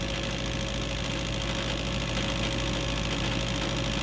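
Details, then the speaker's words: Furnace with status LED flashing four times, suspected bad igniter; after power cycle the inducer pre-blower moves air through the flue: steady airy whir with a low even hum, no rattle or scrape; normal pre-purge. "there's this pre-blower to move air through the uh flame tube duct work and everything"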